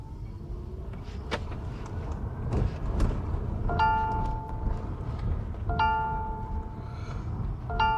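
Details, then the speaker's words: MG ZS EV after its comfort software update, driving with the passenger seatbelt unfastened: soft multi-tone chime repeating about every two seconds, starting quicker than before the update and with a nicer tone. "as you can hear it started Oh quicker than it used to start but it sounds a lot nicer"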